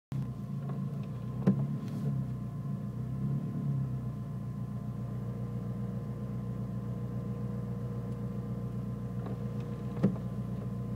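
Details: Nissan Micra turbo engine with rough idle that sometimes cuts out when braking: low idle with uneven, lumpy beat and a couple of sharp stumbles; rough idle, cause not determined.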